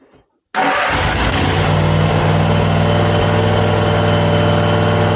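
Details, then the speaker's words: Zero-turn lawn mower: fires straight up to an even, flat idle with no rise in speed when throttled; engine stuck at idle due to a throttle cable fault. "No throttle. No throttle. I know what's wrong with it."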